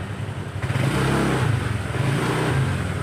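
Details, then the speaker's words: Honda Vario automatic scooter that lost power and stuttered at low rpm, after repair: engine picks up cleanly on repeated throttle blips with no stutter or hesitation and revs freely; healthy revving. "Ini responsif. Tidak ada penundaan, tidak ada gagap, hanya respons langsung. Rasanya luar biasa."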